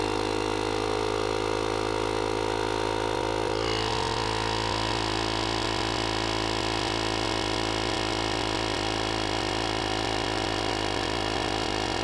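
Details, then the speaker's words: JFEGWO 6000A jump starter's built-in tire inflator set to 26 psi, airing up a flat tire: steady, even electric whir holding constant pitch, working normally. "on there we go 26 lb kicks right off and it also airs up tires like a boss"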